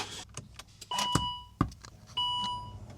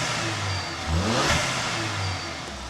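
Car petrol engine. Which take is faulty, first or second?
first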